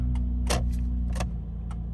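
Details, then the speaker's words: 2001 Ford Escape, 284,913 miles, after the turn-signal connectors were replugged: crisp, even flasher ticking about twice a second over a steady idle; blinkers working normally. "Right blinker's working perfect. You can see out there, the reflection out there. Everything is fine. Hazards work like normal."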